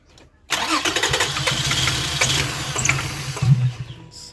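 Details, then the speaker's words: 2005 Toyota Highlander, parked a month (rat droppings found, dead battery replaced), with 12 V and pulse confirmed at the injectors and no codes: about three seconds of cranking that never catches. Cranks but won't start. "get been trying to started for a while now it's not starting let's see if we can get codes again"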